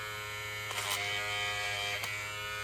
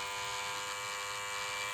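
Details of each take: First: Hair clipper with a replacement blade, lubricated, buzzing with short raspy snags as it chews and pulls hair instead of cutting cleanly, worse with the lever at zero; blade chewing hair. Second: Hair clipper running after lubrication: steady even buzz, no rattle or grinding, noise reduced by lubricating; normal running.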